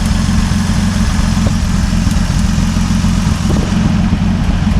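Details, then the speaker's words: 1950 Dodge Meadowbrook L-head engine, warm, temperature readings around 134–152, muffler missing: deep, steady low rumble at idle with loose exhaust burble, no knocks or ticks from the engine; healthy idle. "Let it never be said that an L-head engine from 60 76 years ago can't run like a Singer sewing machine. That's uh That sounds really good."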